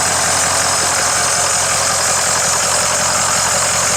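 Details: Ford 6.0 diesel idling after turbo cleaning: steady clatter with a faint high squeal from a slightly noisy serpentine belt; engine otherwise sounds good.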